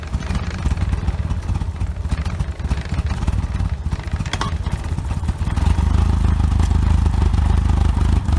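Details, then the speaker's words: OMC 2.5 L 140 hp sterndrive in a 1981 Sea Sprite, started on water muffs after sitting since winterizing, warming up: a low, even thrum settling into a steady idle with no misses, knocks or rattles. Quiet, smooth, normal idle. "Pretty quiet, pretty smooth running little motor."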